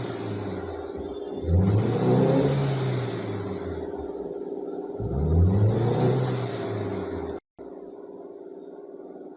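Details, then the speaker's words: Hyundai car (after rat-chewed wiring was repaired) revving: choppy, uneven, stuttering pulses instead of a clean rise, misfire counts showing on almost all cylinders; a faulty ignition coil is suspected of causing the misfire. "Almost सारा cylinder में मेरा यह missing अभी show कर रहा है"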